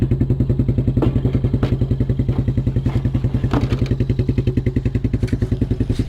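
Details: 1987 Suzuki Quadrunner LT230E ATV single-cylinder, idling outdoors after throttle and air filter replacement; even thump about eight beats a second, steady, no misses or surging; healthy idle.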